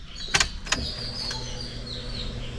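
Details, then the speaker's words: Suzuki Alto petrol car at key-on: a couple of clunks then a low steady whir as the fuel pump primes and pressurizes the fuel line; normal. "එන සද්දෙන් වෙන්නේ fuel line එක pressure වෙන සද්දේ."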